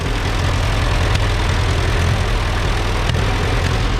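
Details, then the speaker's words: Allis Chalmers WD narrow-front row-crop tractor, left in the bush and seized that morning, freed up and now running: loud, low, lumpy idle with uneven beats and occasional stumbles; runs but has bugs, tune-up planned. "Obviously we got to work out some bugs, but it runs."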